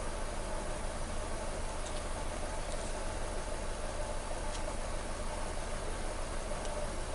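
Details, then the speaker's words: 2014 Nissan Versa three-cylinder, after coil replacement for P0303 misfire and rough idle: steady, even low idle hum with no misses or knocks, no codes; idling well, slight vibration noted. "So I said no codes. Vehicle is idling real good."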